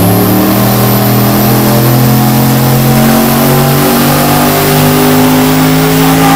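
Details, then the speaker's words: Lincoln Mark VIII with a turbocharged V8 on the dyno at about 500 wheel horsepower, 87% injector duty cycle and extra timing: a strong, even roar holding steady under full load with no misses, knocks or stumbles; healthy. "dude it sounds nuts it sounds so good"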